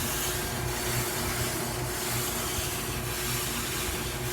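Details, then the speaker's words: GE front-load dryer after a repair kit was installed (drive belt, upper bearing assembly, four drum glides). A loud, constant scraping rush swells with each drum turn. The glides are rubbing, louder than before, and no fix has been found. "these slides the glide bearings okay call them but the surface that the drum actually rides on and that noise is louder than it used to be"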